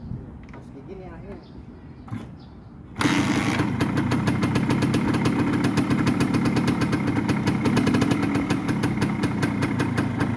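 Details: Original Suzuki TS 125 two-stroke with mostly original parts and working electrics: after a few quiet seconds it fires straight up into a crisp, even ring-ding idle popping about four times a second; healthy start and idle.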